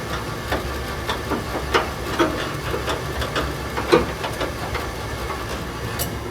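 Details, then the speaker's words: Furnace in a shop, first firing after blower repair: uneven ticks and knocks over steady blower rush; squirrel cage left untightened, spinning on the motor shaft; fix is re-clocking, centering and tightening it. "nope something's not right and here's the problem i forgot to tighten that down so the squirrel cage is spinning in the shaft"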